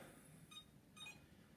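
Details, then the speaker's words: iLife V5 robot vacuum, a couple of days old, switched on off the cradle: two short high beeps, and each time it beeps it tries to spin the brushes, same as on the charging cradle; charges and cleans two hours but beeping fault unknown. "you can see it's behaving the same way as it did on the cradle when it beeps it tries to spin the brushes"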